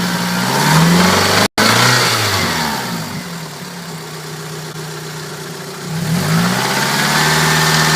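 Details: 1992 Toyota Celica 5S-FE four-cylinder idling and revving with a loose metallic rattle riding on top, rising and falling with engine speed; source not pinned down.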